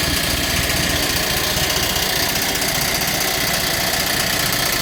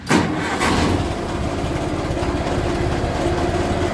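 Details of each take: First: Massey Ferguson TEA20 tractor revived after sitting: steady busy running with an uneven light rattle over the engine note; noise first blamed on the water pump was actually the fan blades striking the radiator shroud; water pump slightly noisy but acceptable. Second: Massey Ferguson TEA20 tractor, bought as non-runner: catches first try and settles into a steady even idle with a faint ticking; normal idle, alternator working, oil pressure drops somewhat at idle but acceptable.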